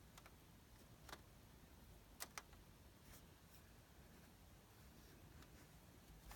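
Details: Sony Bravia KD55X8509C TV making faint, sharp, repeated clicks at uneven gaps, about one per second, in a quiet room; cause unknown.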